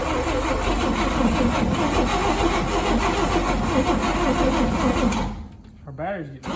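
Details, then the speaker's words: 1959 Rambler, 195 flathead inline-6, automatic, parked for years: steady rapid cranking for five seconds with no catch or firing; cranking no-start. "our positive wire to our coil was a little bit loose let's see if we have a spark now"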